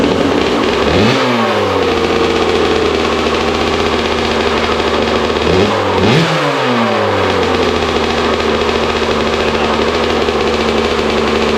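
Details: Rebuilt Kawasaki KX65 two-stroke dirt bike, put together from a basket of parts; crisp buzz climbs and drops back cleanly twice with a steady, even idle, running properly.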